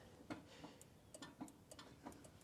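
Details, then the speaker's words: 1993 Yamaha Big Bear 350 4x4 in neutral with no neutral light: pressing the starter button gives only a few faint clicks and no cranking; it fires right up when the solenoid is jumped, so a bad solenoid or starter switch is suspected. "Hard to say, but it's not starting. Now, what I've been doing is coming down here and jumping the solenoid, and it fires right up."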